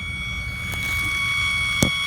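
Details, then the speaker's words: Belimo actuator newly fitted in place of a Honeywell actuator on a Honeywell damper, with power removed; a steady high whir as the spring drives the damper open, ending in a soft click, a normal fail-open spring return. "You can hear the spring open it, and that is with no power."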